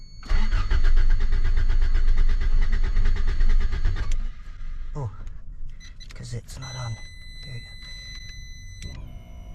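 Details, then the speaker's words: 1987 Toyota Corolla FX16 GTS, earlier a crank-no-start: with the fuel pump now fed direct battery power, the engine catches and runs strong and steady for about four seconds before shutting off; normal start. "where's the key and try to start it shows getting power what's going on man whoa started up nice"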